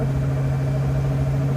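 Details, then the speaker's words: Rear-end gear whine at highway speed after bent axle repair: a steady hum from poorly set ring and pinion gears, no longer bubbling, and almost silent when off the gas. "We definitely have some gear wine as you can hear. That's just the way I set the gears. I screwed them up."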